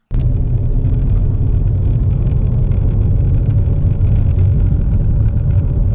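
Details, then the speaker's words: 2014 Impala at 70 km/h after fixing a rear howl, first blamed on a newly replaced wheel bearing, caused by a missing bolt: steady low road rumble with no howl or rubbing tone; normal road noise. "so we're hitting 70 clicks okay I think we're better now"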